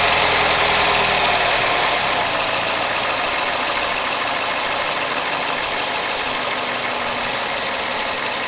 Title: Mazda 6 MPS: engine knocking at 1500 rpm